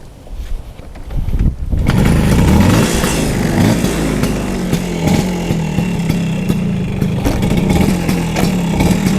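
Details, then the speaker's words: 1974 Vespa Sprint, stock two-stroke engine with points ignition, started for an afternoon warm-up ride: catches and settles into a steady throaty burble, even firing, no knocks or rattles; healthy. "Gue akan jalan-jalan sekarang. Sore-sore sekalian manasin motor."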